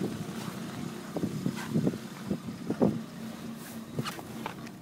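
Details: 1993 Corolla cold start at 7 degrees: uneven lumpy idle with irregular thumps and surges, clearing after about 45 seconds; only below freezing, less with 93 octane, no check engine light; cause unknown.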